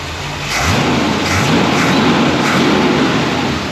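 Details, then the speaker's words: 1970 Corvette C3 V8 with a new Edelbrock carburetor: a throttle blip snaps up cleanly and settles with no stumble or pop. Idle was about 650-700 rpm before full warm-up, and the carb needed no adjustment. "Jesus, that's nice. Wow, they weren't lying. We put these carburetors in. No need for adjustment."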